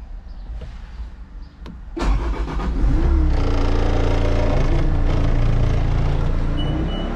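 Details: Bobcat T66 R-series track loader, Bosch fuel system, after replacing both fuel filters, air filters and priming: brief crank, then the diesel catches and settles into a steady, even low rumble with no knocks or misses; healthy start.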